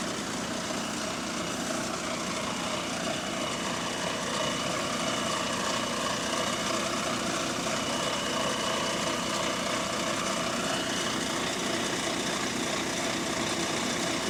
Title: Exhaust Leak 🥶 | GAL WVN46 On Bus Route 486 (Spot + 18)